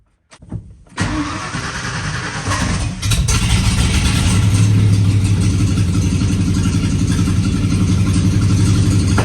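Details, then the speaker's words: OBS Ford F-150 with 302 V8 on first start after all eight injectors were replaced (three of four on one bank bad), with a dragging starter: catches, then runs low and uneven with irregular backfire-like thumps; cause unknown. "it seems like it was running smoothly but now it's like trying to backfire or something i don't know"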